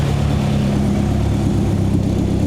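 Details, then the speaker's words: 1972 Toyota Celica 18RG with rebuilt twin Mikuni 40PHH carbs: a steady, even idle at about 1100 rpm with no misses, hanging high before dropping to a low idle. This is the recurring high-to-low idle behaviour; target low idle is about 900. "It's 1100. Now here comes the low. This is what it always does. High idle to low idle."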